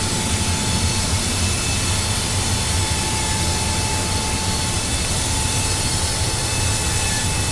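Steady loud roar with a deep rumble underneath and a faint thin tone on top, never easing; the furnace is roaring abnormally, cause not yet traced.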